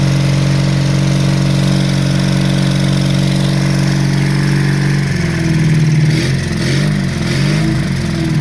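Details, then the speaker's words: Honda CB350 Four project bike at first start-up: lumpy, uneven idle with a stumbling beat wavering as revs rise; two cylinders running, the other two firing intermittently, lots of noise from the top of the engine; misfire cause not yet investigated. "well that's not too bad we've got two cylinders running and the other two kind of running every now and then so we just need to look into it a bit more"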